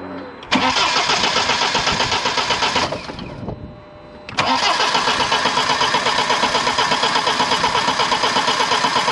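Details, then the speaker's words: BMW 123d N47 four-cylinder diesel first start after injector seal and valve cover gasket replacement, fuel primed, six or seven crank attempts; cranks, catches, falters briefly, then settles to steady even idle. Normal diesel start and idle. "as you can see she's running and she's running all right it's running as well as i would expect a uh you know a four banger diesel to uh to run anyway"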